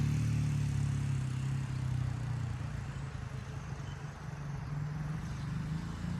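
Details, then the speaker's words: 1977 Honda XL75 marketplace dirt bike after revival repairs and a new fuel shut-off for fuel dribbling from the float bowl: small single thumps along at a steady, even idle with smooth low exhaust beat, no knocks or misses; runs healthy. "So, let's fire it up. Make sure it runs better now."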